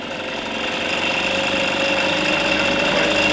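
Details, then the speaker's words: Freshly rebuilt two-stroke engine, new bearings and pistons not yet worn in, still warming up: buzzy, uneven note with an irregular beat and an odd pop; running rough, cause not confirmed. "Well, I won't say it's running great, but it's running. What was that? You hear it? You just fart"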